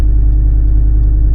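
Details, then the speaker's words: 1996 Volvo 850 2.5 TDI diesel (D5252T, Bosch VE EDC pump) idling: deep rumble with slightly uneven pulsing beat; rough idle, owner suspects running rich, trying hammer mod and AFM/MAF adjustment. "Okay, so I've been having some uh rough idling issues on my 1996 Bob 50 TDI. Uh feels like it's running rich."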